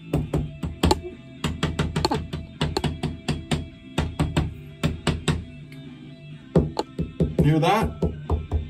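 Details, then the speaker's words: Bath wall tiles tapped by knuckle a day after re-adhering: the unrepaired tiles ring hollow and drummy, showing they are debonded and loose. Repaired tiles give a solid clunk. "that's what you don't want to hear"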